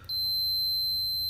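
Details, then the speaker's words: Speaker from a National RX-M50 mono cassette radio tested with a multimeter on continuity: steady unbroken high-pitched beep for over a second; continuity present, speaker coil good. "if we are listening the beep the speaker is okay otherwise the speaker will be bad so just like this as you can see speaker is good"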